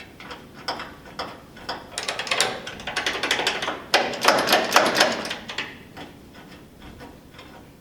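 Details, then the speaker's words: Massey Ferguson 65 tractor, known no spark, turned over to keep engine from seizing: uneven sharp clicks about two a second with no cranking; starter not engaging, blamed on a bad neutral safety switch. "there's a safety switch for the mechanism that is bad on this thing"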